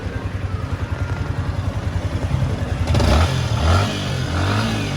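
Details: Yamaha Sniper that had a lean angle sensor check-engine fault, after repair: steady idle pulse climbs smoothly into clean revs and settles back; check-engine light gone, running properly.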